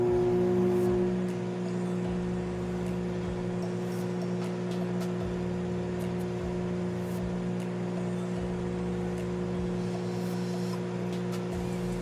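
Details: Microwave oven after antenna replacement, running a 30-second test heating water: steady low mains hum with a few faint ticks and no sparking, crackling or popping as it had before; operating normally.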